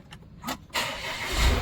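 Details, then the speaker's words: Volvo V40 after repair of abnormal noise from the auxiliary belt vibration damper pulley, restarted to confirm: brief crank, engine catches cleanly and settles into steady even idle with no rattle or knock; earlier noise gone. "നമ്മൾ start ചെയ്തു. ശ്രദ്ധിച്ചാൽ മതി, നമ്മൾ നേരത്തെ കേട്ടാ ആ നോയ്സൊന്നും ഇപ്പോൾ വെഹിക്കിളൊക്കെ ഉണ്ടാവില്ല."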